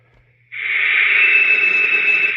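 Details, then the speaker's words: Taiwanese-made Cobra 148 GTL CB radio with odd modifications, on sideband while adjusting an AM variable: steady high kettle-like whistle wavers in pitch; AM variable affects sideband audio, cause not confirmed. "so I'm going to move the very variable watch the tone change on that um that high pitched uh te Kettle sound"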